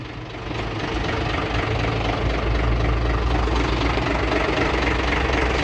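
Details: Hino 500 (FG) truck diesel idling evenly with a low steady rumble, no grinding or chatter as clutch pedal is pressed and released, after repairing noisy clutch bearing, fingers and plate; clutch now sounds healthy.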